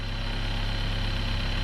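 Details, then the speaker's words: Chevrolet Cruze at steady idle after intake work: a constant low drone with a faint fixed hum. The noise went away when it was popped off, confirming the PCV noise persists. PCV system resonance noise. "it went away as soon as i popped it off so we definitely still have that pvc noise"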